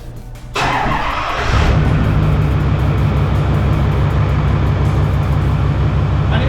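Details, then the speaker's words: 2008 Ford F-350 6.4L Powerstroke diesel after belt tensioner replacement: turns over, fires promptly and settles into a steady, even idle with no squeal or knock; normal start and idle. Power steering pulley still slightly wobbly. "I sort of said, "Let's see how she sounds." She sounds healthy. That looks good."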